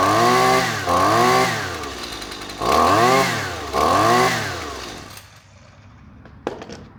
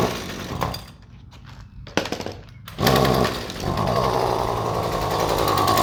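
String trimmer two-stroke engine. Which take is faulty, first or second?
second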